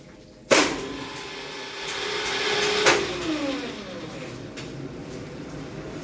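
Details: Generator set in testing, switched between auto and manual selector modes with the emergency stop cutting off the ACB: sharp switch-on, then a steady mid-pitched hum that runs evenly before winding down in pitch; the set runs normally.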